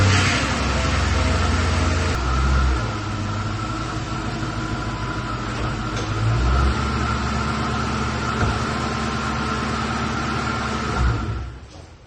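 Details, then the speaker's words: Police car with 45,000 miles, after a new fuel pump and filter and a fix to a mismatched plug: it catches quickly and settles into a smooth, even idle with no knocks or misses; no check engine light and good oil pressure. "I think it's good. It cranked up, no check engine lights. Sounds like it's running smooth. Cool, good oil pressure."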